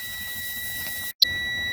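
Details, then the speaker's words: Air brake bus pre-trip check with the secondary air system being drained after the primary protection valve was checked: a steady high-pitched low-air warning buzzer that cuts out briefly and returns, with the warning light, coming on at about 65 psi. "there is our low air warning indicator it came on at 65 psi and we see our warning light as well as we see the warning buzzer"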